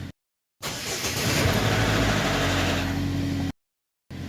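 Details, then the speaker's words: Engine after repair of earlier misfire and stumbling at idle: engine catches and pulls up cleanly, revs rise and fall evenly with no stumble or popping; running properly. "running good i don't feel any wins fires or anything"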